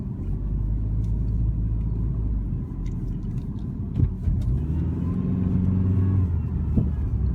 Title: Whining noise from 03 Dodge Neon SX 2.0